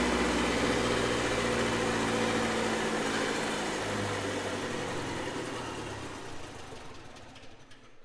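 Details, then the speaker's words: Red-D-Arc D300K welder generator, Kubota V1902 four-cylinder diesel: runs evenly about four seconds, then the fuel shutoff solenoid cuts fuel and it coasts to a stop; oil pressure/coolant temperature safety shutdown working normally. "awesome same exact scenario so that white wire is basically in the same circuit so if we lose oil pressure or we get too hot on the coolant temp our safeties are working that shut off solenoid is absolutely doing its job"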